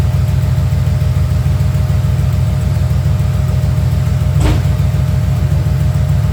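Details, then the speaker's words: 1994 Camaro Z28 V8 after alternator and serpentine belt replacement: steady, even idle with a smooth low rumble; the belt squeak is gone, only a slight exhaust tick remains. Normal idle. "That thing, you don't hear that belt squeaking no more. You still hear the exhaust a little tick, but other than that, that thing, woo! That thing smooth again, baby."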